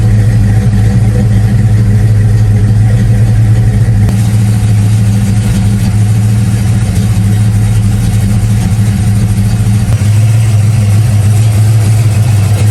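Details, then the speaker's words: Deep lumpy V8 idle warming up, just above 140 degrees, battery disconnected, after installing a 200-degree in-coolant fan switch; speed shifts slightly a couple of times instead of holding steady, mild idle hunting. "i have the battery disconnected and it's kind of been chasing idle a little bit but still sounds pretty good"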